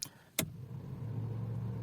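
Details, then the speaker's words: 1997 Opel Corsa B 1.4 60 hp, cold, ignition on with engine off: a click, then a fan hum swells and holds a steady low drone, loud like a truck running; unusually loud fan with ignition on. "fan Sesine Bak kamyon çalışıyormuş gibi yani yarım kontak yapamıyoruz arabada fan var akü bitecek diye"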